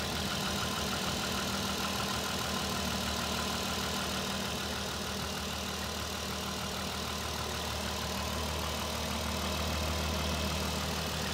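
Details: Cold petrol R32, 55k miles, regularly maintained, idling with a light regular knock about three a second, louder right at startup; owner suspects rod knock, possibly from accidentally dropping into 3rd at 75–80; not confirmed.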